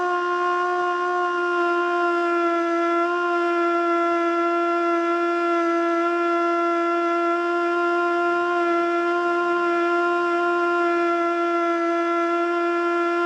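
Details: Older Federal Signal Model 2 siren (old CD box), Princeton NE, alert test: tone sits low, never reaching full pitch, wobbling throughout; rotor not up to speed; owner suspects worn brushes.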